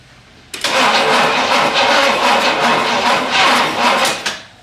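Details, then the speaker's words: 1967 Pontiac Bonneville, abandoned farm car on a jump pack, long uneven cranking with ragged bursts that never catch; hard starting, "she's just struggling". Cause not confirmed: owner suspects poor plugs and a gummed-up carburetor. "Keep going. All right. Um, she's just struggling."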